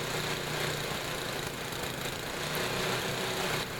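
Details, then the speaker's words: Tecumseh HM80 8 hp small engine after carburetor tuning and a carbon-fouled spark plug replaced, idle set as low as it will run as an experiment. Too low to build oil pressure. Slow, loping, uneven putter: excessively low idle speed. "this is about as low of an idle as I can get out of the engine and have it still run I wouldn't run the engine this low it doesn't it isn't able to build oil pressure"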